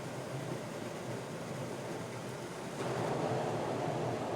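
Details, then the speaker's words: Friax wine cellar cooling system fan at full speed with the air duct closed almost completely, around 350–375 pascals static pressure; loud rushing air roar from the restricted path. "and you can hear how noisy that is this is obviously on a full speed"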